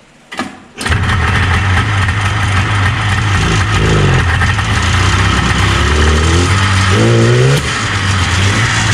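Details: 1977 Arctic Cat El Tigre 4000 440cc free-air two-stroke snowmobile, Mikuni round-slide carbs, needle clip moved one position leaner: fires up then blips unevenly with crackling pops and a hesitant low-end bog on throttle opening.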